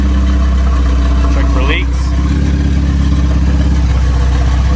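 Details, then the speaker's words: Honda Civic EF build, first crank in neutral while bleeding the cooling system: steady, even idle with a low smooth hum and no knocks or misses. Runs well, though a valve later let go. "Sounds like it's running pretty good though."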